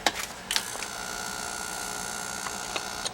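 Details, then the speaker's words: Carlin oil burner on a Bock 40-gallon oil-fired water heater, submerged when the basement flooded: clicks at switch-on, then a steady electrical hum that never spins up, stopping when released; motor locked up from water, replaced with new motor. "Motor's junk. Go underwater, it's no good. Can't put motors underwater. They don't like it."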